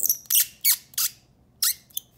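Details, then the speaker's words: Five sharp, high squeaks in about two seconds as the metal threads of a hexamatic mechanical pencil twist against each other when unscrewed, metal-on-metal friction; pushing up or down changes it. "what happens is when you have metal rubbing on metal you can develop a really nasty squeak and it's super annoying"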